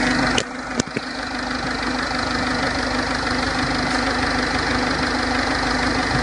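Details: 2006 1.4 TDCi diesel engine idling with a loose, irregular knocking patter over a steady low hum; cause unknown.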